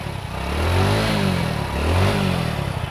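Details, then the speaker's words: Hero Splendor motorcycle after repair of a short circuit that kept blowing the fuse: starts on the first self-start press, revs rise and fall smoothly with no knock or misfire; healthy running. "देखिए गाड़ी हमारा एक ही self में start हो गया है,"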